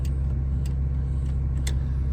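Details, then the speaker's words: 2000 Ford Excursion 6.8L V10 after replacing both exhaust manifolds: deep even rumble with no ticking or puffing, former exhaust noises gone and runs great, though owner says it is still running rich, cause unknown. "It sounds way better. No more noises. Runs great. Now I just got to figure out why it's running rich."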